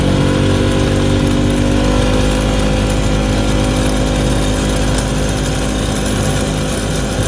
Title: 2011 Polaris ranger crew rattle at high speed. What is making this sound?